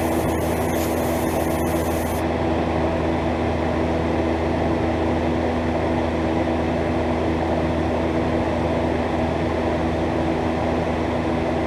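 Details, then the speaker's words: Miller 330 TIG welder fusing scrap tube with no filler; the preflow time-delay relay is suspect but the gas and solenoids work. Steady, even hum with fan rush, no sputter or crackle; the arc runs normally. "I just got this scrap tube here laid together. I'm just going to fuse it. I'm not even going to run any filler. This stuff fuses pretty good."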